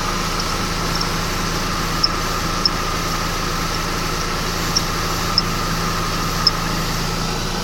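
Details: 2011 Mercedes-Benz E350 at idle: short, sharp chirps about once a second, irregularly spaced, from the belt area; belt tensioner seen moving in sync with the squeak, cause uncertain.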